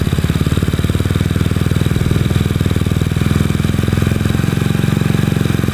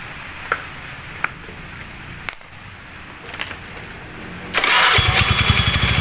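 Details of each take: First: Honda Beat scooter with a PE24 CPO carburetor just fitted and the air screw set for the highest stable idle: the small single putters at a steady, even idle with no hunting; it is running properly. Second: Honda Beat carburettor scooter just fitted with PE24 carburettor, intake hose blown clear, first start: a few clicks then a fast, busy idle with quick even pulses; idle speed set too high, before air-screw adjustment.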